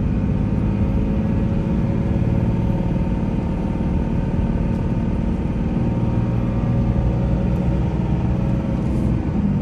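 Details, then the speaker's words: 2003 Dodge Ram 2500 Sport 4x4, 5.9 Cummins diesel, 85k miles, automatic, accelerating up a hill through the gears: deep, steady diesel rumble under load, no knocks, misses or whines; normal running, engine healthy. "we'll take off and we'll head up the hill so we can hear the 5 9 run as well as put the automatic transmission through all the gears so you can hear for yourself there's no issues with anything on this truck at all"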